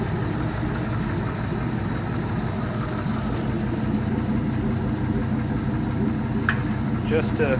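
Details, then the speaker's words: 5.3L L33 all-aluminum Gen 3 LS V8 idling while still warming up in open loop, after lifter replacement: smooth even idle with light injector ticking and no lifter tick or knock, a healthy engine. "sounds great no lifter lifter ticking or knocking or anything anymore those lifters did the trick you can actually hear the injectors firing over the lifters"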